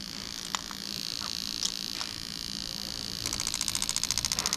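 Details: Lexus LS400 (1992-94, LHD) engine harness for the automatic gearbox on test. Injectors are pulsed one at a time (8, 6, 4, then 7, 5), giving sharp, even ticks three or four times a second. Each injector fires cleanly: normal clicking.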